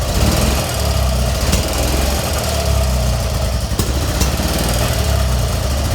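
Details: BMW R65 airhead needing choke and lots of throttle to start: low lumpy idle with occasional sharp pops from the left side, light visible from the intake; owner suspects very lean running; rough idle with popping.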